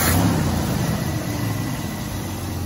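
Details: 1986 Dodge D150 Royal SE, 225ci six-cylinder, idling after installing a new-old-stock factory carburetor; steady low, even rumble with no misses or stumbles, smooth healthy idle.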